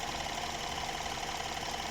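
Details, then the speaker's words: BMW N13 engine in an F30 at idle after replacing a cracked PCV valve that had been sucking air and causing noise; an even idle with a constant mid-pitched hum, no hiss, roughness or misfire, now normal. "Bueno aquí tenemos encendido otra vez el n13 ahí podemos ver que ya no está fallando y que no tiene ningún ruido"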